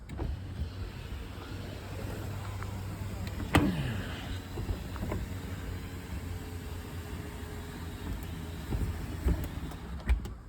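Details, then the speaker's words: 2008 Smart Fortwo 451 cabrio that sat 2.5–3 years with a flat battery, jump-powered from another battery, ignition on: electric roof motor hums a few seconds, then clunks and stops short of fully closed; cause unconfirmed, roof fabric possibly snagged. "So this roof wouldn't close properly."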